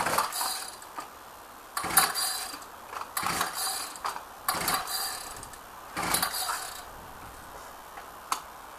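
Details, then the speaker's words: Ryobi on a cold start with ignition on and choke: repeated rattling recoil pulls with no firing; hard to start, recoil spring acting up, owner suspects stale fuel. "a bit on the hard to start side but never been that hard to start before but i put that down to stale fuel"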